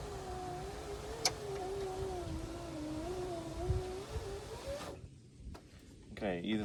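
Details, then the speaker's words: 2002 GMC Sierra Z71 SLT driver's window after replacing the broken regulator with Dorman 740-644. A steady motor whine, slightly wavering, for about five seconds: the window works. Owner suspects the motor may be weak or the track needs grease. "but we work awesome glad to have this fixed and no longer driving with a frozen left ear"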